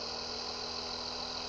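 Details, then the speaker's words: Experimental 3-phase pulse motor with 9 bifilar coils on Bedini SSG circuits, green phase only, after a silicone fix for an earlier click: a smooth, even hum with steady high tones and no clicking as it accelerates about 10 RPM per second, running normally. "So it seems the silicone worked inside there. She's really spinning up really fast."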